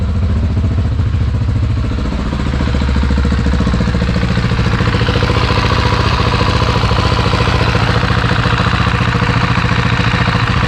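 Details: Husqvarna 701 Enduro Euro5 single after an engine overhaul with an updated cam chain tensioner, cold start: fires up and holds a steady, even idle with a regular low thump and light valvetrain clatter; normal idle.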